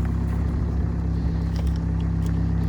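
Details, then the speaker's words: 2014 VW Passat TDI diesel that had been leaking coolant, morning cold start after the repair with no leaks: steady low diesel clatter at cold idle, even firing with no misses or odd knocks; healthy cold start. "I'm gonna check my coolant level and see where things are. Let's get that crispy cold start."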